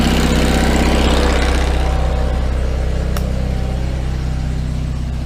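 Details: 1974 GMC RV generator started via starter solenoid during electrical repairs. Strong, steady low drone with an even beat of about four per second, no misses or knocks; running properly.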